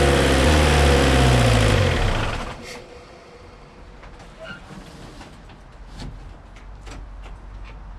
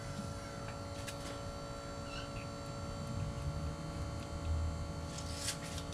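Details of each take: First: Suzuki Samurai with 1.6 VW turbo diesel, injector pump and injectors just primed, after oil change; uneven shaky clatter then shuts down – rough running, owner blames dirty yellow diesel in the tank. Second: Suzuki Samurai converted to a 1.6 VW turbo diesel, during priming. A faint steady electric hum over a low background rumble is the installed electric fuel pump pushing fuel through the system to purge air.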